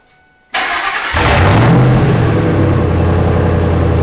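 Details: Parts-hauler truck started and revved with muffler removed, straight pipe: loud raw rasping bark with no muffling; owner judges it too harsh and plans to fit a muffler.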